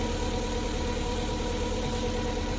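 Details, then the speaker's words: VW Polo 6N petrol engine, previously running rough, started after a repair: smooth, even idle with a steady low drone and no misses, stumbles or knocks; normal idle after the repair. "Oh yeah, brilliant. I think that might have been our problem. Fantastic. Oh, it sounds brilliant. Sounds just like how it used to. I think we're good."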